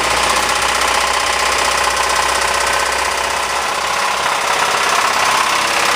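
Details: Ford 2.3L engine in Mazda Tribute running: loud, hard, rapid metallic knock hammering steadily through the engine; failed number 2 rod bearing with a stepped crankshaft journal.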